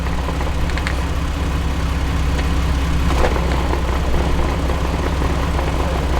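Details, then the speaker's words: 2006 Jeep Wrangler TJ Rubicon, NSG370 six-speed, driving: quiet at idle and in third, then a steady droning growl in fifth that grows louder. Owner suspects output shaft bearings, not gears; unconfirmed. "wow so it i i gotta tell you i think it's the bearings it's i think it's the bearings in the output shaft or whatever"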